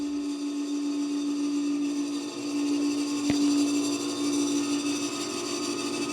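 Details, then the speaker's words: 60-amp rotary phase converter powering a rebuilt 80-year-old Cincinnati grinder motor: loud steady hum with a rough, uneven whirr over it; converter motor has made weird sounds since a couple months after purchase, exact fault unclear. "The phase converter motor, on the other hand, it's not doing good. See, a couple months after I bought that new, I plugged it in and the motor was making weird sounds."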